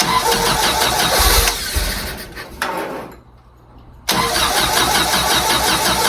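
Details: 1952 Willys CJ5 F-head four with new Daytona universal carburetor, fuel filter and coils after years sitting: cranks, catches, drops out, refires and holds a fast busy idle; owner suspects the throttle sticking open.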